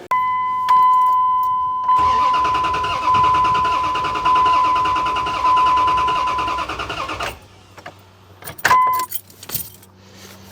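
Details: 1998 Dodge 4x4 2nd-gen truck compression test, coil and fuel pump relay disconnected; starter spins the engine steadily about five seconds with a chime over it, never firing; low compression.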